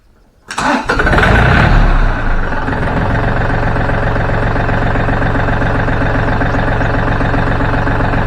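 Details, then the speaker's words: Yanmar diesel after fuel injection pump repair, with the injection lines bled of air at the nozzles. It starts quickly and settles into a smooth, even clatter; normal start and idle. "we've got all the air out of it now and I'm going to let you listen to it and see how nice and smooth it is"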